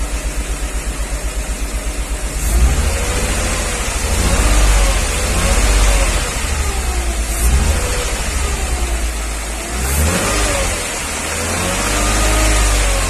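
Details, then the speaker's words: 1994 Mercedes G320, Japan import, held at steady rpm: light metallic tick that shifts as injectors are unplugged, quietest with cylinder 2 cut; worse cold, quieter once warm; piston knock (cracked or scuffed) suspected, not like a rod knock. "It's a light metallic tick, not like a rod knock, but anything's possible."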